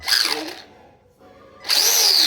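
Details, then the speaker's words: RC car after crash at skate park: high, harsh whine with gritty grinding as motor spins up, stopping and restarting; owner suspects pinion moved too close to spur gear, mesh too tight. "hey I think I might have moved the pinion a bit too close to the Big C here"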